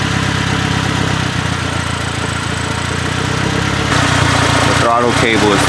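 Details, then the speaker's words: Honda Civic EJ1, high and rising idle, before throttle cable adjustment: steady fast idle creeping a little higher, no misses or knocks; throttle cable pulled too far back holding revs up, fixed by loosening for slack. "Adjusted the throttle cable right here. Now, there's a little bit of slack in there. It was just pulled too far back."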